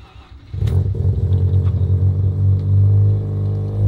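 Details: Mazda RX-7 FD rotary after fixing a non-working ignition coil, coolant topped up: catches quickly at about half a second and settles into a deep, fairly steady burbling idle with no stumble; no coolant light.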